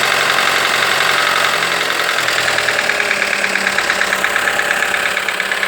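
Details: Fiat Toro or Jeep Renegade/Compass T270 1.3 turbo engine at start-up and light revving: fast, light metallic tapping about three per second over a smooth idle. This tapping is characteristic of this engine and normal, not a fault.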